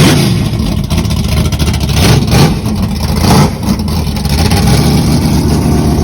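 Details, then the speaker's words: 1962 Pontiac Catalina, pump-gas 10.5:1 Pontiac V8 with solid roller cam, heads pinhole-repaired and hydro-tested: lumpy choppy idle with sharp throttle blips, picks up crisply and settles back; normal revving. "wow that thing sounds bad ass yeah that's a that's a bad Poncho man solid roller woo boy sounds good"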